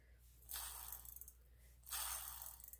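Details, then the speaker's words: Huffy Trail Runner bicycle freewheel spun by hand after oil fully penetrated the internals: only a soft, fine, fast ticking, much quieter than before and turning smoothly. "listen how it's like it's like a a a ghost free wheel now it's just completely well not completely silent but it's much quieter and it's moving really smoothly in my hand"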